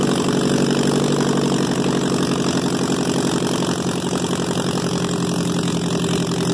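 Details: 2002 Ford Focus: loud, raspy idle with a fast steady exhaust pulse around four per second, far too noisy, possibly catalytic-converter related; cause suspected, not confirmed.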